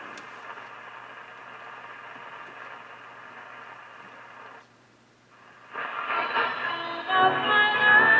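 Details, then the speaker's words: Philco 38-7 radio after repacking capacitor blocks and volume control repair: music comes through clear and full once warmed up, no hum, crackle or distortion, though bass still weak; audio stage working properly. "whoa well that sounds nice well"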